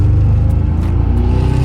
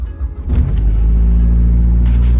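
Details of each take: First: 2008 Mazdaspeed3, about 150,000 miles, with cylinder 4 dead for nearly 10,000 miles before a 2.5L block swap: deep, lumpy exhaust beat with a skipping, uneven pulse under throttle and a flashing check engine light, indicating a misfire on the dead cylinder. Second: 2008 Mazdaspeed3 after a 2.3L-to-2.5L block swap (cylinder 4 had died), next-morning cold start: quick crank catches in half a second, then a steady, even low idle; no timing chain rattle, only a motor-mount rattle, so the timing job is good.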